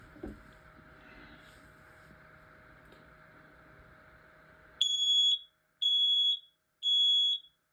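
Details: 10 SDI smoke alarm in full alarm after being held up close: after a quiet room, three loud shrill beeps about a second apart. It had failed to activate at first, which the owner blamed on a running fan.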